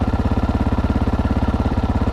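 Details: GPX 300R motorcycle idling after regulator replacement, voltage up from 13.33 to 13.4 V: even steady exhaust thumping, no misses or knocks; normal clean idle, bike fixed.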